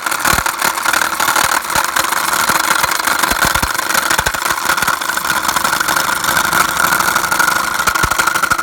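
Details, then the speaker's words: Chevrolet Captiva diesel, about 2012–2013, engine idling: irregular sharp clacks and rattle from the front of the engine; failed crankshaft pulley, barely turning, only center hub rotating. "โอเคนะครับชัดเจนนะครับก็คือมูเล่หน้าเครื่องเสียนะครับ"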